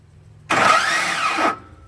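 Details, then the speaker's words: 2005 Ford F-150 5.4 with a no-crank problem and a new grinding sound under the hood: about one second of whirring grind on the key, pitch sweeping, then it drops away with no crank. Suspected starter engaging briefly then disengaging. "You know what I think that is? What? The starter's engaging a little bit to try and start it, and then it disengages."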